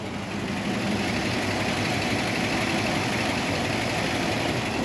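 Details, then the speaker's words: 1951 Cadillac Series 62 with 13,000 miles, in neutral: starts effortlessly into a very quiet, soft idle barely above background hiss, no knocks or misses; smooth, healthy normal idle. "elle a démarré sans aucun effort on entend à peine on sait à peine que le moteur est en train de tourner"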